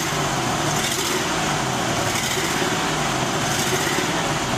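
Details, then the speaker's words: 2001 Ford E250 van, 4.2 V6, revving under acceleration: it runs lumpy and uneven from a misfire. "clearly got a misfire and the first thing we like to do is determine what the type of this fire we're looking for an overall problem"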